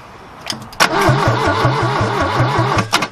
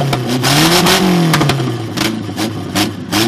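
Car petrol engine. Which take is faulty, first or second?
first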